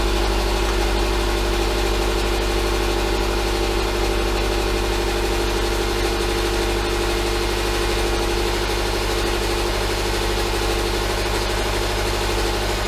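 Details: 2011 Subaru Impreza at first start after rebuilding from rod bearing failure: EJ253 non-AVLS block with AVLS heads, no ECU codes. Steady, even idle with a smooth low rumble and no knock, plus a slight exhaust shield rattle that quiets down.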